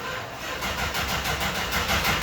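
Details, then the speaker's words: 1964 Dodge Dart carbureted engine, throttle pumped too much: uneven cranking that keeps trying to catch but won't fire cleanly; flooded engine. "It's a little flooded. So when it's flooded, I usually hold it wide open for a second, and that'll dry out the air."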